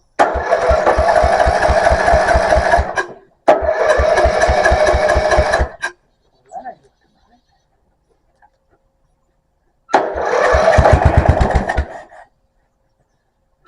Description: I finally get the mover running and its charging system actually charges the battery PP 74